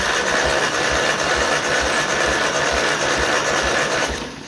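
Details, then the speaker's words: 1955 Ferguson TE20 TED TVO tractor engine, cranked for a compression test on cylinder four. Even cranking about three beats a second with no stumble. It reads 100; three cylinders read 100 and one 83 dry/90 wet, within 10%. Healthy. "100 on the nose. I mean this is savage."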